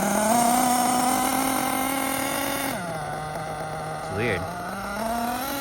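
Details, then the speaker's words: Losi LST nitro RC truck, first run running rich after flywheel fix: engine holds steady high note then revs drop abruptly as drive lets go intermittently; owner suspects transmission. "It's weird though. It's intermittent. There you go. You can see see it lunging right there better."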